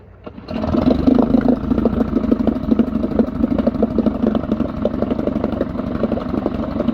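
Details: Mercury 3.5 outboard test run after temporary plastic propeller repair with homemade shear pin, choked, out of gear: catches quickly and settles into steady, even buzzing with no misses or knocks; running normally.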